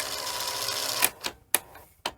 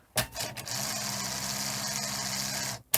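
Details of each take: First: Sony SL-HF100 Betamax tape lacing/loading mechanism after repair and tension adjustment: whirring run, then sharp clicks and clacks about half a second apart as loading finishes; still sounds rough, a gear may have come off. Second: Sony SL-HF100 Betamax after a lacing and loading repair: a steady motor whir with a faint low hum for about two seconds, stopping cleanly. The tape lacing now works normally, though it is still slightly noisier than expected.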